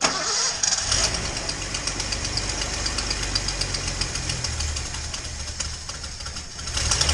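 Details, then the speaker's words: Datsun 240Z inline-six that previously ran on four cylinders (2 and 6 suspected), after new plugs: it runs better but idles unevenly with a quick, irregular puffing tick. This is a known exhaust leak at cylinder 2, possibly at the EGR port. "um you know you can probably hear i got a bit of an exhaust leak uh and the idle's still not great i'm guessing well i know there's an exhaust leak on two"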